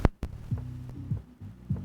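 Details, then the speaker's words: Digimark subwoofer with no-sound fault, after replacing the TDA7379 amplifier IC with a TDA7377: deep bass thumps about every 0.6 seconds, clean with no crackle or distortion; sub now plays normally. "you can hear the sound it's working it's working yeah the [Music] best it's working you the sound it's working it's working fine yeah it's working"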